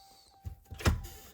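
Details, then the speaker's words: 2022 Ram Cummins 4WD front axle CAD actuator working normally: a short electric whir and a soft clunk when the selector is switched, quick and clean. The key must be cycled between tests once the 4WD service light comes on. "But a working CAD unit sounds like this."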